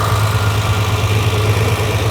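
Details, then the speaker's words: Ferrari 330 GTC carbureted V12 at idle, listened to over the carburettor tops; engine suspected somewhat gummed up. Deep, soft, slightly soggy beat; revs rise as the mixture screws are leaned, confirming the idle mixtures were too rich. "as you can hear the red are rising as I uh screw this in which means it was too rich now they're dropping cuz I'm leaning it off"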